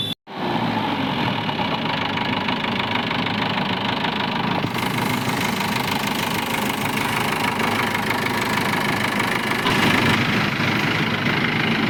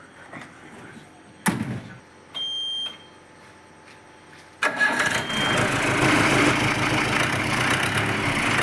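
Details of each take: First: Jeep diesel engine at a loud idle: a constant hum with a loose, rattly clatter. The humming is linked to engine heating and a collapsing, suction-affected radiator hose, not confirmed for this clip. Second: Jeep diesel engine after gearbox, engine, diesel pump and collapsed radiator hose repairs for a humming noise and overheating: short crank, quick catch, then a steady, even idle with no hum or knock.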